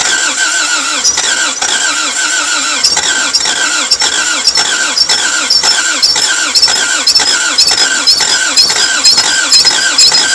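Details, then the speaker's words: Toyota MR2 AW11 after cleaning injectors and distributor, distributor timing being adjusted: starter grinds steadily with a squeal and odd weak catch, never picks up; partial firing no start, owner suspects many bad cylinders. "damn man that one cylinder it like wants to try but there's so many bad cylinders"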